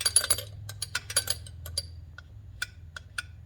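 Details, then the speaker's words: Rebuilt Kohler K91 engine on the bench, with valve lash at 0.020 and 0.025 in and valve seats not recut: sharp light ticking over a low hum, loose valve lash clattering in the valve train. Lifters may be rechecked. Excessive valve lash. "you hear that little clicking noise there's gonna be a lot of you know a lot of noise out of the valve train"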